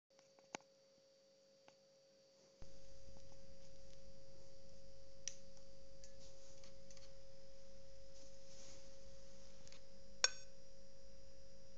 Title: Dell inspiron 3537 beeping sound solution Guys ? :)